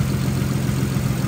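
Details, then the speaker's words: Nissan R33 Skyline, cold after two days sitting, after reseating a coil pack that wasn't properly seated on its spark plug (earlier clicking/knocking): low, steady idle with even beat, no misses; normal idle after fix. "Now, smooth as a whistle, how it should be."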